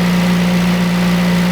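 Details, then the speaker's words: Engine that had a whining noise from the engine bay, first thought to be a pulley, after the repair and about 25 minutes of running and warming up: a smooth even idle with no whine, ticks or knocks. The noise is cured. "right so it's been a good 25-ish minutes or so still running absolutely fine no noise nothing at all I think that we've cracked it perfect"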